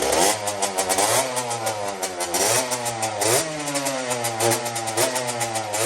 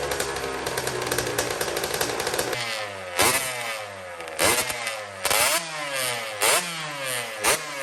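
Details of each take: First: Custom Honda TRX90 with rebuilt CR85 two-stroke engine on its third heat cycle, jetted with 40 idle and 110 main: crackly quick revs sounding dry and thin on pickup, judged too lean, to be richened to 45 idle and 130 main. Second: Custom Honda TRX90 with rebuilt CR85 two-stroke engine, first heat cycle after rebuild: crisp idle with sharp, clean blips that rev freely and settle evenly; sounds good, though the carburetor clamp is loose and needs replacing.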